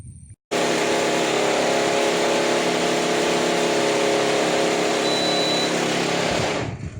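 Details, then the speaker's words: Lloyd AC unit that runs fine for a second or two after switch-on, then roars loudly with a harsh rattle and violent shaking; cabinet opened shows the blower's plastic bushing, its solid white inner plastic, broken. "दरअसल इस AC को जब भी चालू करते हैं एक दो सेकंड तो सही चलता है। उसके बाद इतनी जोर से आवाज करता है और इतनी जोर-जोर से वाइब्रेट करता है जैसे मानो नीचे ही गिर जाएगा।"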